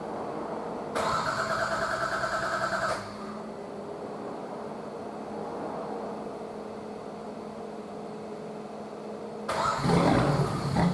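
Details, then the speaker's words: Nissan RD28 diesel, GQ Patrol, after injection pump swap and 11mm upgrade with timing advanced a bit; catches quickly, settles to even idle with light clatter, revs cleanly; owner feared too knocky but it sounds fine. "I thought it was a bit too knocky, but looking back on videos it just sounds fine."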